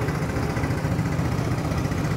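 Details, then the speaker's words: Yamaha Mio Sporty 115 after replacing a rocker arm and a slack, stretched timing chain tensioner (no overhaul): the earlier clanking head noise is gone. Even low putter at steady idle, no top-end rattling or ticking; normal idle. "Okay na po siya. Wala na po yung ingay niya sa head. Tahimik na."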